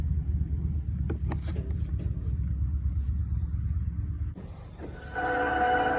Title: Toyota Highlander Hybrid making horrid screeching sound.